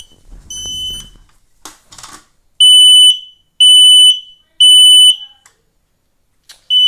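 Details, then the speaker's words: Kidde smoke alarm that wouldn't stop despite pressing push-to-hush: three loud shrill half-second beeps about one per second, pause, then more beeping; full alarm, cause unclear. "i will that's right this fire alarm is going off i was in the shower having a nice quiet time until this alarm went off"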